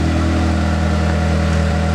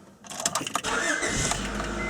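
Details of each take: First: 1994–97 Honda Accord (California emission model) at idle, mic at the rear: deep, raw, steady drone louder than a sealed system; exhaust leak at the muffler/pipe by the exhaust bracket, worse on deceleration, before muffler replacement. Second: 1994–97 Honda Accord (California emissions) after replacing a leaking muffler: engine catches after a brief crank and settles into a smooth, even idle with a steady low exhaust note. Normal idle.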